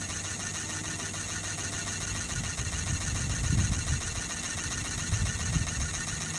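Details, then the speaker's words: Sirius steam engine generator plant test run, boiler holding 40 psi under full load, warm day: steady, fairly even chuffing at about three or four strokes a second; normal running under load. "Boiler's up to 40. And again, under full load, that's all this boiler will maintain is 40 psi."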